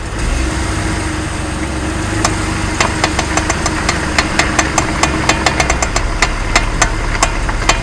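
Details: Jeep Wrangler JK at idle: sharp irregular clicks from the front left wheel when turning hard left; bad front axle universal joint with broken needle bearings, fixed by replacing it.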